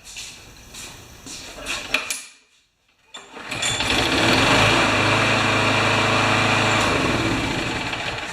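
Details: Craftsman Briggs mower brought in for hard starting and not priming, with a tune-up and primer repair a year earlier: on another try after primer and carburetor tube checks it fires and settles into a smooth, steady run, healthy.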